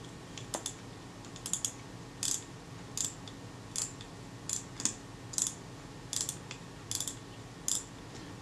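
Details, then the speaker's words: Kodak Retina II type 122 35mm film camera, about 85 years old, during servicing despite a damaged spring: crisp, evenly spaced ratchet clicks about once a second as the tooth engages cleanly, driving the film advance normally. "you can hear that ratchet tooth engaging quite nicely there as it drives the film advance films fall forward so that's good"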